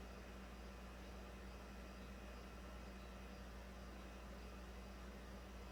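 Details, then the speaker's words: 2009 Toyota Corolla 1.8, after charcoal canister assembly replaced because the failed leak detection pump would not run: faint, steady low hum with no surges as the pump pulls vacuum toward about negative 39 before the vent solenoid check. "said it i think it said a target vacuum of 39 i'm a negative 39 34 then i would imagine it will seal the system and see if it retains vacuum"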